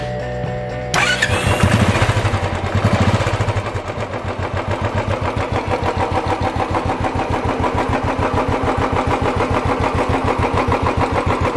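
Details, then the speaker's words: Royal Enfield Classic 350 that had a rattling tappet noise, started after the top-end rebuild and reassembly of the head gasket and rocker arms; it settles into a steady even thump with no top-end rattle. "okay now we have assembled all the associated components back together and let's check running the"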